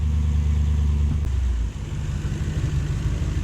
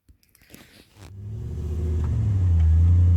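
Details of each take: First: Toyota 3UZ V8 swap in a 4x4 with a 5-speed and Safari transfer case, after off-road driving. Revs drop and settle into an even, low burble with no stumble or miss; idles down normally. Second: Toyota 3UZ V8 swapped 4x4 with 5-speed and Safari transfer case, sat a month moving in and out of shop; deep, slightly lumpy idle with uneven beat; engine misfire, suspected fouled plugs from overfueling.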